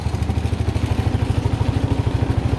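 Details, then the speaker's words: Suzuki Burgman 125 scooter after the belt pulley and clutch bell were refitted: steady, even low putter with regular firing and no clatter, squeal or grinding; sound changed from before, rear wheel turns so the belt is seated; carburettor still to adjust. "tourne bien. Il n'y a pas de bruit suspect. Ça tourne bien, nickel."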